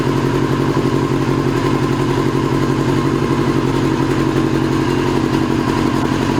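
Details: 2002 Yamaha YZF R6 carbureted four, restarted after sitting 6 years: uneven, lumpy idle with a loping beat about three a second and some clatter, like one cylinder not firing; owner suspects a gummed carburetor or fouled plug.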